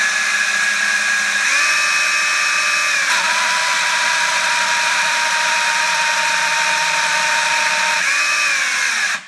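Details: 4-month-old Parkside PABH 20-Li B2 cordless hammer drill whining steadily, tone jumping and sagging oddly while running; cause unknown.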